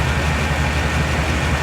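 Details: 2000 Chevy Tahoe LT 5.7L V8 after distributor replacement for a crank-no-start (out-of-time distributor, shaved gears), cam retard at zero degrees, within spec: steady, even low idle rumble with no misses, knocks or ticks; running smoothly and healthy.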